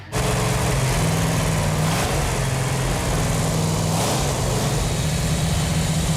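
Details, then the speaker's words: 1969½ Dodge Super Bee A12 engine with three two-barrel carbs ("446 pack") on the engine run stand, warming up after its fuel lines were tightened: strong, even V8 rumble with clean rev blips that settle straight back; no knocks or misses, runs healthy. "It feels really good to hear that engine run. Yeah, feels good. That engine sounds so good. 446 packs are an awesome engine."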